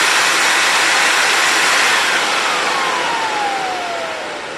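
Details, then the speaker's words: TriStar C8 two-speed unit with an Ametek motor after bearing replacement, regreasing and commutator polishing: even high-pitched rush with no rattle or grinding, tone falling smoothly as it winds down; normal running. "know that's what I want to hear that is a wonderful smooth line down"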